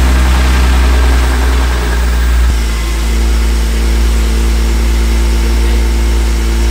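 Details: BMW E46 M3 at 160k miles, after rod bearing replacement (cylinder four worst worn), VANOS overhaul, subframe reinforcement and headers. Deep, smooth six-cylinder idle with a steady beat and a light throttle blip, no knocking or ticking; normal idle.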